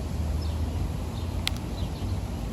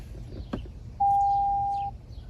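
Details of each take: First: 2025 Toyota Tacoma TRD Sport Premium, key fob tailgate button pressed; high electronic tone then two short beeps as the power tailgate opens normally. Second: 2025 Toyota Tacoma TRD Sport Premium after the key fob was disabled by holding lock and pressing unlock twice. One steady, mid-pitched beep of about a second sounds with the warning "key not detected, check key location," and the truck won't start.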